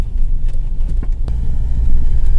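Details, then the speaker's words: Mahindra XUV500 after suspension repair, driven through potholes: steady low road rumble with only soft thuds, no knock from the left front; the earlier left-side gurgling knock over bumps is gone, steering quiet. "अब हम खड्डे में गाड़ी गुदा रहे हैं देखिए कोई आवाज नहीं है सुन सकते हैं आप लोग भी"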